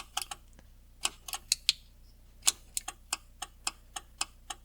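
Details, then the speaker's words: 1975 Jaguar XJ-S with Lucas electrics, after sitting for years: sharp dry ticks in a quiet room, uneven at first then about three or four a second, the hazard flasher stuck on; bad connections in the fuse box, hazard button needs replacing or rebuilding. "okay so i think that's the hazard that's stuck on now from"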